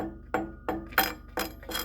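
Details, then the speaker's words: Ring test on a stone grinding wheel held on a finger and tapped with a screwdriver butt before mounting: five sharp taps each leave a clear, lingering higher-pitched ring, not a dull thud. The wheel is sound and uncracked. "It's a higher pitched sound. If it sounds like you're tapping on a table, or it doesn't make anything, chances are it's cracked. Don't use the wheel. But a good wheel, a hard wheel, is going to ring."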